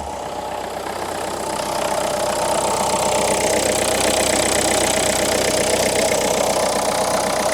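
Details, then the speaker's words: Renault Clio IV 1.5 dCi diesel, check-engine light on with fuel-injection, injector and DPF fault warnings, engine losing oil, noisy on arrival: loud clattery idle with a fast, slightly uneven beat that swells; rough running, cause unclear, injectors to be tested. "Chodzi słabo. No dobra, okej. Zrobimy tu pewne testy."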